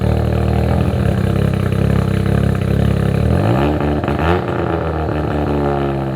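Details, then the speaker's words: Abandoned Mazda RX7 rotary with new full exhaust, no timing in the tune: loud, fast, steady high idle without lope or brap, sagging midway; brap awaits a cleaner tune of idle, fueling. "Car sounds good. We are not really gonna get the brap noise up until we get a little bit of a cleaner tune on here, and that's mainly just due to where the idle's at, timing."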